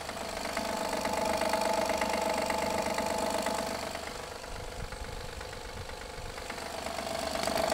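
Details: 2016 Honda Pilot III J30A9 V6 cold engine, mic on hanger probe; steady light tapping three or four per second over idle, gone after 2-3 minutes, returns after 3-4 hours off; failed timing belt tensioner knock.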